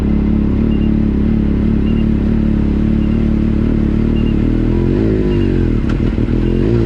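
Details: Yamaha YXZ side-by-side with newly installed Agency supercharger (new stiffer bypass valve spring, vacuum lines smoke-tested, 4-5 lbs boost shown): bogs badly in first gear on initial throttle, barely responds, burbles and almost backfires; must wind it out, feels like stock; cause unknown.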